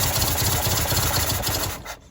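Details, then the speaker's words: 1974 MGB engine running rough and seemingly rich. Spraying underneath the intake makes it cut out and die within seconds, every time, indicating an air/vacuum leak at the intake gasket. "So as you guys saw, it turned off, and every single time I did that, it would turn off. So obviously there's an air leak there or something."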